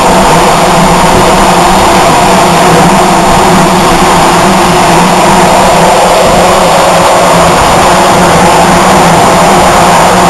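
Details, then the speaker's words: Zuber smoker circulation fan running inside the cabinet with the airflow control parts removed: loud constant roar of rushing air with a steady low hum, no knocks or rubbing; the fan is running normally. "We'll turn it on. Remember, it's going to be loud because we're inside with the fan blowing."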